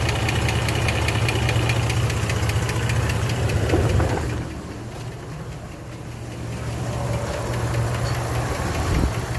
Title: 2006 Jeep Liberty 3.7l ticking noise (sticking lifter)